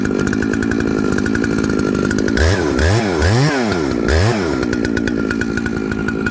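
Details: Jonsered 2095 two-stroke chainsaw with 36" bar, reassembled with a Husqvarna 395 XP chain brake handguard: idles steadily, several quick revs, back to even idle; runs clean.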